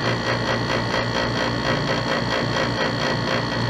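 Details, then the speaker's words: Dometic RV roof air conditioner with the cover off: a fast metallic buzz-rattle over the AC hum. The vibrating copper Freon return line had rubbed through the rubber in its cable clamp, making metal-to-metal contact, and holding the line stops the noise. "it's right there this free online going into that clamp right there the evidently the rubber is worn because when I can make this noise and I hold that it stops so it's vibrating to get something"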